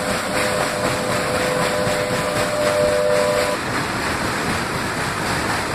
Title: Narinja filled with water and excess Water going to Karnataka.Gates making noises.